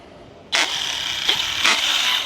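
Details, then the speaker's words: Used ARRMA Big Rock 6S RC truck on 3S batteries, driving under throttle close to the microphone: sharp high gritty whine in three surges, gears grinding in the front end, with wobble noticed around the drive cup. "So, right here in front of us or getting it close to us, it sounds like it's coming from the front end."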